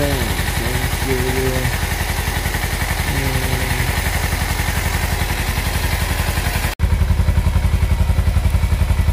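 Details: Kawasaki Versys X 250 at 10,400 km, started right after an engine oil change (about 2.2–2.4 L filled): even, soft idle with a steady low pulse of about four beats a second, no knocks or rattles; healthy normal idle.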